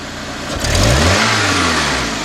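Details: 2002 Honda Accord 2.3, just running again after no-start repair involving spark plug wires: single throttle blip, revs climb, peak, then fall back slowly and lazily; sluggish response, feels like it wants to stall, possibly normal.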